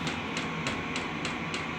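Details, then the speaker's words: Diesel heater in an enclosed room, revving up: steady blower whoosh with a sharp fuel-pump tick about three times a second; running normally. "But uh yeah, this thing's revving up. You can hear it."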